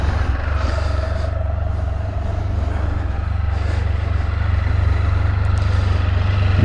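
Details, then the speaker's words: New 2022 Can-Am Spyder F3L, constant-mesh transmission with computer-controlled hydraulic clutch, customer complaint of clanking into forward/reverse: steady drone with faint gear hum, no knocks or grinding; normal gear whine. "can literally hear them gears winding around on this side worrying about they all sound the same nothing's changed"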